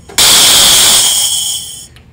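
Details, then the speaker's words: Harley-Davidson Twin Cam cam plate pressure relief valve bench-tested with an air pressure test tool; sudden loud hiss bursts out and fades as the valve is already leaking, not seated or sealed, and pops off too early at about 40 psi instead of 55–60 psi, costing oil pressure at low rpm. "you can hear right now the valve is already leaking and that means when this bike is at lower rpm that you're going to be at a loss of oil pressure because I felt was not seated in sealed"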